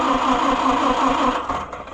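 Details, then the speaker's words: Oliver 550 tractor after pushrod repair and valve adjustment, started off a jump box: rapid, steady cranking that fades without firing. The owner suspects poor points or flooding, and the engine starts shortly afterwards. "Come on. It might be flooded, too."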